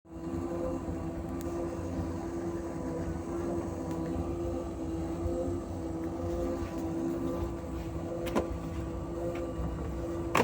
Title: Asko dryer loud noises while drying